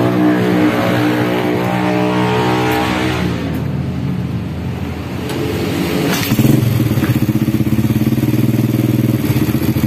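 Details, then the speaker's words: Honda Supra Grand motorcycle after replacing the cam chain, whose rattle was blamed on a loose chain and worn tensioner roller. Small revs settle into an even beat with a raspy noisy exhaust and no chain rattle; it runs smoothly again. "Nah kayak gini suaranya Udah halus kembali ya Tadi parah banget gemericik banget ya karena roll katanya habis"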